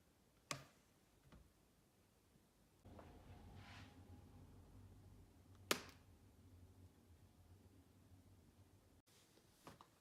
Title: MacBook Pro 15 2016 screen open pop sound, popping and creaking noise